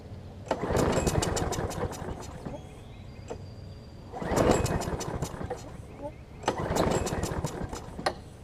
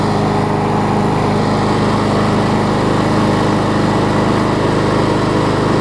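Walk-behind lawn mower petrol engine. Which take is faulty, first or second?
first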